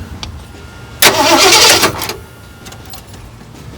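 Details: Truck that went from running perfectly to not starting, points looking good, checking whether the distributor rotor spins: short burst of starter churning, then it drops away without catching; crank no start, owner suspects the ignition control module.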